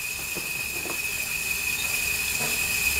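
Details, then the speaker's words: Wheel Horse B165 ride-on mower engine, long neglected, during a leak-down test: a steady, strong hiss of air rushes from the crankcase breather, slightly through the intake, none from the exhaust. Moderate cylinder leakage and crankcase blow-by point to worn piston rings. "Right, so we have got moderate cylinder leakage, but you can hear it. Sounds like quite a lot of air escaping. You're getting a lot of air coming out of the breather, which is concerning."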